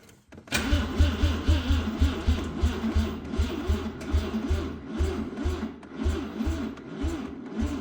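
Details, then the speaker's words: 1985 Mazda RX7 GSL-SE 13B rotary revived after sitting 24 years, fuel pump buzzing and building pressure: starter chugs in even pulses with wavering whir but never catches as the battery dies mid-crank. "This is how all my projects go. Every time I get to the point where I'm ready to start it, my battery dies."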